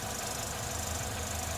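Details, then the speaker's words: Renault Megane 3 with K4M engine, ZIC X9 5W40 oil: after an oil change a fast steady high chirp (plus knock) over even idle appears only when hot, silent when cold; cause unknown, owner asks. Chirping noise. "Ребят, подскажите, что за звук? Renault Megane 3. Что-то циркотит."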